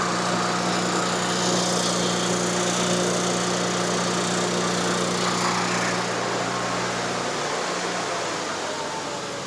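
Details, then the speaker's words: Miller Bobcat 225NT welder/generator with older Onan engine, after no-spark ignition repair, warmed up: steady smooth buzzy drone easing slightly, no misses or knocks; running as it should. "All right, once it warmed up, it idled back down perfect, the way it's supposed to run."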